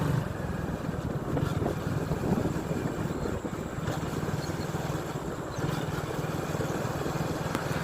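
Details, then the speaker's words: Hero Glamour BS4 single after full engine rebuild of a seized engine, ridden a bit faster, gears engaging smoothly: smooth, even low putter under riding wind, no tapping or knocking; mechanic says it is set perfectly, much quieter; healthy. "బండి అయితే పర్ఫెక్ట్గా అయితే set అయిపోయింది friends. బండి అయితే smooth అయిపోయింది. అప్పటికిప్పటికైతే చాలా sound అనేది చాలా తక్కువ అయిపోయింది అనమాట."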